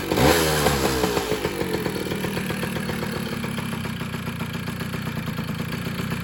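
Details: 2000 Kawasaki KE100 two-stroke fired up right after a transmission oil change (about 0.65 quart): quick rev, then an even, crisp ring-ding idle; engine runs clean and great, though the clutch later slipped badly on the new oil.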